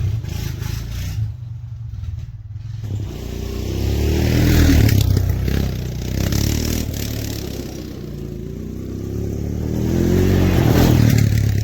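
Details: Honda Foreman ATV, fresh oil change, fan not coming on and running warm while snow plowing: steady low single-cylinder thump at even idle, light clatter, no knock or misfire; engine runs normally.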